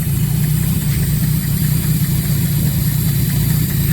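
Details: Ford Ranger with 1JZ-GTE turbo swap idling on gas (LPG) before repairs: deep, uneven idle with a loose, wandering beat and no smooth rhythm. Rough idle.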